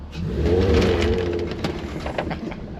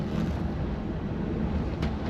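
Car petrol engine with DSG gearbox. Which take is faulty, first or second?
first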